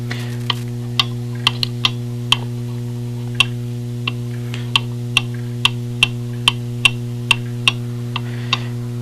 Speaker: tick-tock tick-tock you can hear that it's long on this left side that's the direction I'm going to bend that crutch wire